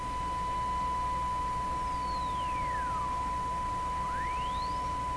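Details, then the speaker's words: Hallicrafters TW2000 World Wide radio with a hum on tuned stations: steady whistle falls then rises in pitch while tuning, heterodyne of roughly 2-3 kHz marking station centre. "that that heterodyne really marks the center of the tuning very very clearly I think my theory is correct that's a pretty high frequency there"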